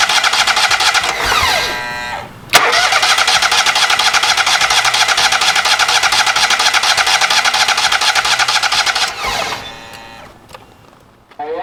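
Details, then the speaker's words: Kohler EFI small engine with aftermarket high-pressure fuel pump in old case, canister force-fed with gas; pump heard running at key-on, yet steady rapid cranking about two turns a second never fires; no fuel delivery. "Well, the pump's still good, but it didn't work in that old case, so I'm going to put everything back to the original aftermarket case, and I'm going to take my Dremel tool and I'm going to grind those little tabs out that are in there so I can put the connector on."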